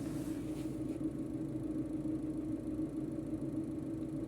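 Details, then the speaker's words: Maruti Eeco 2021 CNG vehicle, 31,000 km, after throttle body cleaning and calibration: steady even idle hum with no rpm hunting or surging; normal smooth idle, earlier fluctuation fixed. "Successfully हमारा जो है clean हो गया total body और after calibration स्मूथस है कोई भी RPM fluctuation नहीं है आइडल प एकदम परफेक्ट है"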